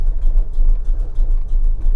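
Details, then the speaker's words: 1979 Ford F-150 Ranger Explorer with 460 V8, fresh oil and filter; low throbbing, lumpy but steady idle, heavily muffled and subdued; very quiet exhaust, sounding like a stock 302. "It has a really quiet exhaust system on it, so you will never know what's under the hood of this thing. It sounds like a stock 302 with that exhaust."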